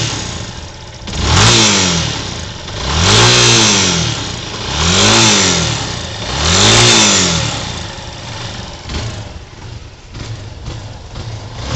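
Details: 2007 Yamaha YS250 Fazer: four throttle blips, each with a harsh rattly edge rising and falling with revs; began after switching to Petrobras Podium gasoline, appears when revved hard in any gear, sometimes even cold; tensioner replaced without effect, cause unknown.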